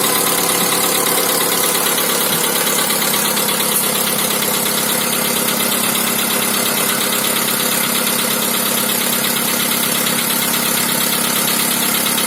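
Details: VW Polo sedan 2010, 1.6 CFNA 105 hp, 176,000 km, cold engine. A fast ticking knock, about three per second, rides over a busy idle; cause not identified. Otherwise the car doesn't burn oil and pulls well.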